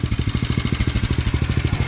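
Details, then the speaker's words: Small-engine mini tractor truck after a new carburetor, fuel line, fresh fuel, air filter and spark plug: quick even thumping about twelve beats a second, no skips or rattles; runs and moves, sounds healthy but slow. "All right, we'll have to figure that out though, but it runs, moves, it sounds healthy,"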